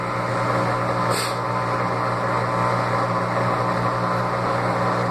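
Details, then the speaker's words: The Laundry Alternative mini automatic washer after an intermediate spin, water fully drained and drum slowing: steady low hum with a hollow gurgling drone as the drain pump sucks air and cavitates, normal. "ruído da bomba de drenagem quando ela termina de centrifugar é normal em qualquer lavador. Já não tem mais água, a bomba fica sugando ar e fica fazendo esse barulho, mas isso é só a bomba que está cavitando."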